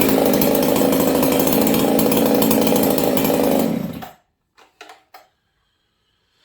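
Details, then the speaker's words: Ported Husqvarna 266XP chainsaw, a regular 66cc 266 build with a new full-wrap handle, first start in a year: strong, steady high-revving scream with clean, even firing and a broad power curve, then cuts out. Normal running. "This saw I like. It screams pretty good, but it's got a really broad power curve."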